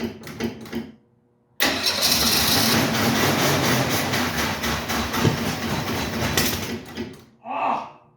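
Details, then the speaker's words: 1968 Mustang being started with gas poured into the carburetor, tank barely above empty: uneven cranking pulses, rough fast-idle start running about five seconds then dying; fuel starvation. "we are so close guys so close to it running on its own it almost seemed like for a second there was starting to pull gas from the tank"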